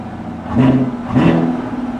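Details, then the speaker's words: Camaro SS V8 at a salvage auction, stationary with two quick throttle blips; revs rise and fall cleanly with an even, unremarkable exhaust note and no knocks or rattles. Normal revving. "yeah it's all right the exhaust is all right it's it's nothing to write home about"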